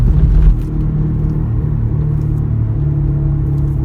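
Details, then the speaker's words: Daihatsu Terios in neutral at 700–800 rpm, coasting after passing 40: a steady low droning rumble from the left front. Suspected front wheel bearing or front driveshaft, not the engine. "अभी गाड़ी न्यूट्रल है आरपीएम बिल्कुल डाउन है 700 800 और यह मुसलसल"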